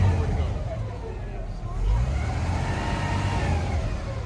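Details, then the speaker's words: Van engine with an unfixed vacuum leak: deep rumble surging and sagging unevenly as revved, struggling to stay running, then let die. "Doesn't like it yet to stay running with that vacuum leak. That's my stuff. I don't like the sound it makes."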